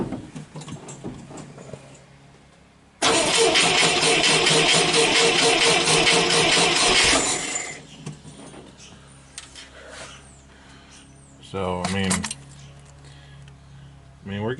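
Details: Scout 80 with flooding issue, after fuel pump and throttle body work: long steady cranking with even compression pulses about two and a half per second but no catch; fuel flooding suspected despite float looking unobstructed.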